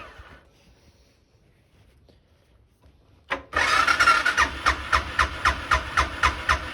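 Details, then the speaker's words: 2006 Suzuki Boulevard S40 after oil change, in neutral with choke, unstarted for a few months: starter cranks, engine catches into a steady, even thump about four beats a second; healthy start and idle. "Sounds good. I just didn't have the key fully clicked on, so that's why I didn't start. This thing probably hasn't been started in a few months though, so. But yeah, sounds good."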